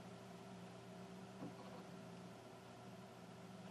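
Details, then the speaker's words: Dell Studio XPS 9000 desktop after fitting a new EVGA 650-watt power supply and an NVidia GTX 960 graphics card: only a soft, even fan hum and faint airflow hiss, no moaning or rattles, so it is running quietly and normally. "I don't know what that was that's a promising sign yay it's very quiet I'm listening for sounds"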